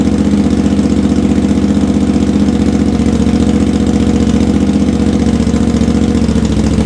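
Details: Honda GL650 V-twin, first start after a full rewire, stock headers with crossover, merge and Cone Engineering muffler; steady, even thumping idle with no misfires or clatter, new paint and heat wrap smoking off; running cleanly.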